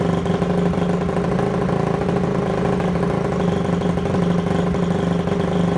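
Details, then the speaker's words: Honda CRF250 dirt bike with carburetor, warm, after choking: single-cylinder running rough and sagging off idle; owner suspects too little fuel but it smells like flooding, and the carburetor may still need tweaking. "after she's warm she's a little bit of trouble like to do and not get enough gas or too much gas I'm pretty sure it's not enough but it also smells like it's flooding"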